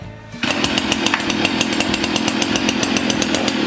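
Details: Stihl FS 70 RC two-stroke trimmer after recoil rope repair; catches at once and holds a steady, high, even buzz with clean firing; runs smooth and healthy.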